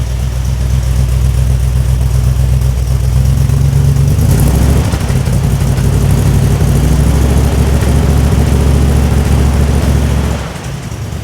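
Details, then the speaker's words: 1965 Buick Riviera after driveshaft carrier bearing replacement, running in Drive with wheels turning: deep steady engine drone, no clunk, whir or shudder from the driveline; no vibration felt, fluid level to be rechecked. "Let's uh make sure this drive shaft goes round and round all right we're running we're in Drive and the wheel should be turning"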